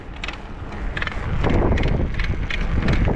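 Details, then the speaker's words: Trek Session 88 mountain bike with new SRAM Eagle 12-speed drivetrain (GX rear derailleur, chain, shifter) ridden: sharp irregular clicks when pressure is applied to the cranks, not when pedaling lightly; source not yet pinpointed. "it's making this crazy clicking sound and I almost completely tore the bike down cuz I cannot pinpoint where the sound is coming from"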